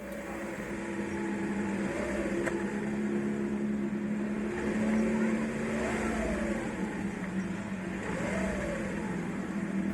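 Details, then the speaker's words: VW Polo 9N 1.2L AZQ engine idling evenly with a low steady hum and no squeal or chirp, after spraying WD-40 on the accessory belt idler pulley bearing with engine running, a temporary fix. "now the noise is gone completely the idea here is that there is a bearing inside the idal py in there in the middle"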